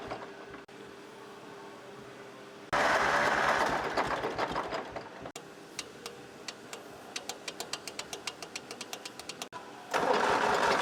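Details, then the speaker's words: 1964 Lamborghini R2 diesel tractor after priming a fuel pump run dry: catches in uneven bursts, then settles into a steadier tick as trapped air bubbles clear from the bled fuel system. "that sounds better so that's how you uh prime a pump that's been ran dry on a Lamborghini"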